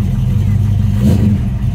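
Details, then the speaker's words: 1965 Ford Mustang fastback restomod, electronic fuel pump, just after cold start: V8 settles into a steady low rumble around 650–750 rpm with a light throttle blip, even and smooth; normal cold idle. "so this is a cold start it's got the electronic fuel pump so that's always nice it's got a good sound to it"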